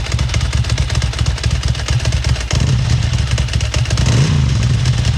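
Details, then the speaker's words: Ducati Monster 900 after its fuel injectors were tested and cleaned, running on full choke with fuel pressure holding: a lumpy twin beat, blipped higher, firing evenly with no misses. The engine is running normally. "We put the choke on. Choke on all the way. Fuel pressure is maintaining. There we go. Got it running."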